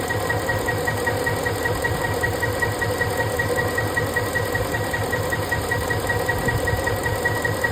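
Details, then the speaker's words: Ford 5.4 3V V8 idling steadily with an even low pulse and faint thin whine, after the cylinder 7 injector connector was unplugged and the injector slightly rotated while tracing a misfire; normal idle. "See now I think that it works because I unplugged the cylinder number 7 with the injection. I just changed the rotation of the injector."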